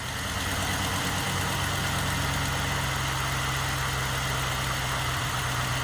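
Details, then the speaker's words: GM 5.3L LS-swapped Sub-100 idling just after start: steady idle with a faint uneven lope and occasional soft stumble, a slight single-cylinder miss present since the swap. No leaks; a faint tick is suspected exhaust leak from broken manifold bolts. "foreign still got a little miss [Applause] but no leaks up here so that's good"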